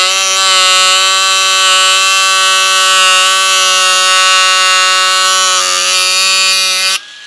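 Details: Ryobi USB Lithium cordless power carver (1mm stroke, 14,000 SPM) with square chisel fitted; high steady buzzing whine with clean even pitch, then cuts off cleanly; motor running properly; road-work noise possible in background.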